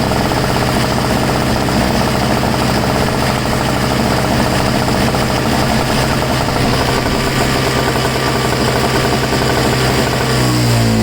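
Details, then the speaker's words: Two-stroke snow blower that sat 10 months and failed to start because it had too little fuel: after refilling with two-stroke mix it runs with a loud, steady buzz, normally. "well just call me an idiot you just didn't have enough gas in it before"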